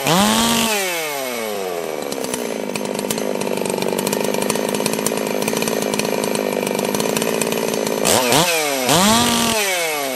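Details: Holzfforma G660 Pro chainsaw after a timing advance of under a quarter inch, air-filter baffle removed: crisp snap to a high steady scream in the cut with no stumbling, then clean rev-downs; runs strong and healthy.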